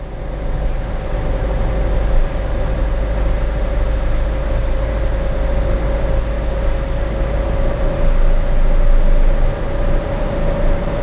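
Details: Citroen C4 Grand Picasso cruising around 1700 rpm under low load: deep steady 28 Hz drone, once per crank revolution, with a faint tone on top, stopping with slightly more or less throttle; dealer calls it normal, owner disagrees; cause unknown.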